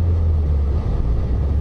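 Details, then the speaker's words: Low, even rumble holding near 1,000 rpm with no surge or judder as the clutch fully hooks up on an E39 BMW M5 launch, before adding throttle and going up the gears; normal clutch engagement. "It's all hooked up. Now, of course, I can add as much throttle as I want and go up through the gears."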